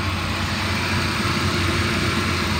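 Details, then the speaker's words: 2000 Chevy S-10, 2.2 L four-cylinder, automatic, mileage unknown, warm after about 30 minutes running: steady smooth idle under some hiss, no knock, tick or surging, revs up well; normal idle. "motor sounds good it's been running for about 30 minutes it idle's pretty smooth it revs up good"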